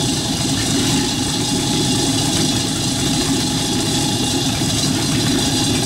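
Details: Rat rod truck engine idling, driving converted York AC compressor pumping air for airbag system, pressure switch set about 85-100 psi: steady even idle with constant hum from belt-driven pump, no misses, knocks or squeals; normal idle.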